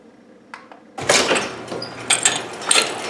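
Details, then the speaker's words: Garage door opening with a loose, dry rattling and clicking from a worn three-inch cable pulley with play in its bearing; fixed by replacing the pulley plate. "you see these three inch round pulley and as you can see all your cables run over the top of it here and around over here and if you look right up in the bottom right there you can see that there's a little bit of play inside there"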